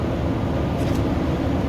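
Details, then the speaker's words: Nissan Titan truck with new Nissan thermal fan clutch, cold start held at 2000 rpm: steady deep fan roar; clutch engaged as expected on a cold start. "so we'll see how we do and there you can hear right there it disengages so that took about uh oh shoot i'd say about 40 seconds for it to disengage so yeah that sounds a lot better"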